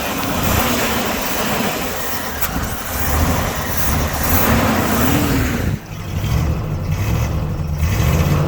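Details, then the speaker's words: 1976 Suburban V8 first start after sitting about 25 years: revs up and sags unevenly, never settling into clean rise and fall; carburetor needs help, fuel delivery trouble suspected, not confirmed. "The carburetor needs a little help, but yeah, I got it."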